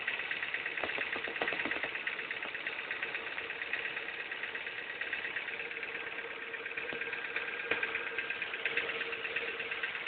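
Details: Ford engine at quiet idle with a faint steady hum and irregular light ticks about three per second, and a burning smell noted; abnormal engine noise, source unclear.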